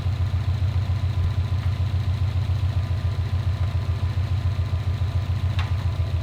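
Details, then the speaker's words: 2015 Subaru STI with a rebuilt engine, warm idle during coolant bleeding (temp hit 195, then dropped): an even, low, steady idle pulsing about three and a half beats per second with no knocks or misses; healthy. "But yeah, I'm stoked. Car runs great, looks great. A few little things to dial in and we'll be on the road."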